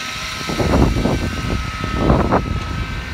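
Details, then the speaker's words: Ford Ranger cold start at -40°C/-40F without the block heater plugged in, with a stiff clutch and a suspect battery: a steady high whine rides over the rough cold idle right after starting. Source unknown. "Use the whiny one. Use the whiny one. Oh, she's crying. Who's whining more, the truck or Proxy?"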